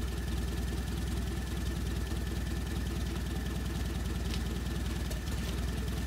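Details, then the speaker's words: Land Rover Series 1 109 four-cylinder after carburetor swap, started with starting fluid: even steady idle, regular pulses about four per second, no misses or knocks; running happily, normal idle. "Tearing along quite happily there."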